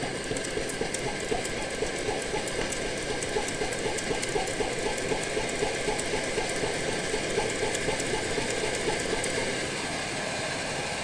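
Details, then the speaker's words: Older Primus OmniFuel stove on white gas, primed with white gas, bottle pumped up: steady roar with a very rapid chug about four times a second, caused by fuel pulsing as it vaporizes in the burner. "you can probably hear a slight chugging very very rapid chug and that is caused by the fuel actually pulsing inside here as it as it goes to a vapor"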